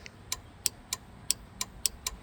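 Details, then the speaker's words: 1989 Jeep Cherokee XJ Renix, whose fuel pump cuts out while driving: fuel pump relay tested off the car gives crisp, clean clicks about every third of a second, so the relay appears good. "so that's working great so the relay should be good there's a way to test the voltage and all that kind of stuff in the but I would assume if it's clicking we're probably okay"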